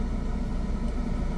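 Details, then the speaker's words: Car on a hill, brake held, no accelerator, clutch released slowly until the engine vibrates: low heavy rumble with slight throb as the engine pulls down under load, normal engine loading at the clutch bite point. "ना जितने में car का engine vibe ट करने लगे उससे ज्यादा ना एक पर कम ना ज्यादा"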